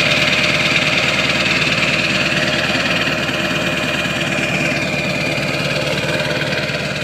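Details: 2002 Ford 7.3 Powerstroke diesel, snowy December cold start, 4-inch turbo-back MBRP exhaust, likely a TC 6-position tuner: steady idle with even clatter and loud exhaust drone, no knocks or misses; normal idle.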